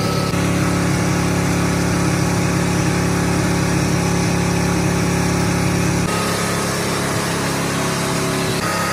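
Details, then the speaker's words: 1979 Ford truck engine held flat out with a harsh, strained roar, coolant spraying, not running on all cylinders ("seven cylinder"), then the note suddenly drops as it locks up; engine seizure from oil starvation. "it seized up that was it oh that was it"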